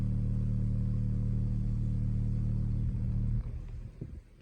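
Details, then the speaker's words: Tesla Model 3 Highland premium audio door after rattle fix and Focal speaker install: woofer solo sine-wave test via service mode plays cleanly at raised volume, no buzzing or door panel vibration. "touch the speaker you want to turn on and then as you raise this and turn your volume up, you can drive just that one speaker and there are no vibrations in my door anymore."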